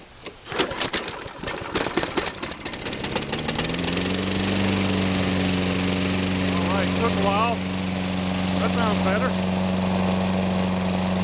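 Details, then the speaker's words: Toro Personal Pace 6.5 GTS mower, Tecumseh engine, starting after carburetor cleaning and priming: ragged pulls, then it catches into a steady, even drone with no misses or surging; normal running. "better all right so propelled out here oh yeah sounds good personal pace run works well"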